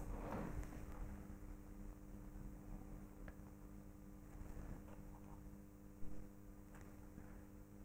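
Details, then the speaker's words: Antique purely mechanical reed frequency meter fed 220 V AC through a variac. A faint, steady mains buzz with no rattle; the reeds vibrate evenly at exactly 50 Hz, so the meter works normally. "as you can see there is a mechanical vibration at exactly 50 Hertz"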